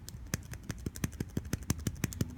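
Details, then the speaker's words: iPad Air 2 home button reinstalled with 2 mm double-sided tape on the bracket: crisp, even clicks about six per second, each firm and identical; button stays seated and works normally. "So I should get a clicking, and maybe you can hear that. But I'm clicking the mess out of this button, and it is staying in there good, as you can see."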